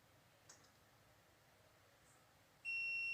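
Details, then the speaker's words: LG 32LJ510D/32LH510D TV stuck in standby, 12V, 5V and 1.1V rails missing, meter continuity test on power supply capacitors: steady high beep in both directions; short circuit in the circuit or capacitor. "bip dua arah. Jadi, ada korsleting di rangkaian atau kapasitor di sini."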